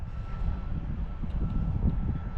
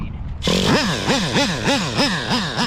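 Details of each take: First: Nitro RC car engine, run warm (~140°) after setting high-speed needle: deep blubbery burble at low speed sounds rich; owner suspects rich low-speed needle and leans it out, unconfirmed until fuel line pinch test. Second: Used Traxxas Slayer Pro nitro RC engine after the low-speed needle was turned 3 hours richer: high buzzy blips sweeping up and down, picking up cleanly each time. Runs well.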